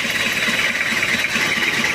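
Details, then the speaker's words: Toyota Kijang diesel with overheating, cylinder head previously repaired, no thermostat fitted: clattering idle with an uneven pulse about four times a second, rough even when hot. Suspected weak injection pump or loose timing belt; raw-diesel smell. A top overhaul is planned. "nah ini untuk mesinnya untuk mesinnya idulnya goyang kalaupun panas juga goyang dan ini ada tanda-tanda di Bos pom Lemah atau ptiming bel kendor"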